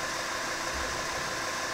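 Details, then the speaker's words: Mercedes CDI 270 diesel, before injector replacement: rough idle with uneven beat and occasional stumble under steady hiss; diagnostics showed third injector working very poorly, also a faulty intake manifold flap. "Сразу он сказал, что двигатель работает с перебоем. И по всей вероятности, самая главная причина – форсунка."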